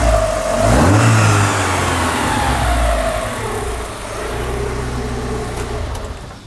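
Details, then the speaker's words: Lotus Elise Series 1, sat unused for 10 years, first start after refitting cylinder head with new uprated head gasket, fresh oil, new distributor cap, rotor arm, leads and plugs: catches cleanly, crisp even revving, no knocks or misfires; sounds healthy. "Well, hey, that sounds sweet. This was a big risk, buying it without hearing it."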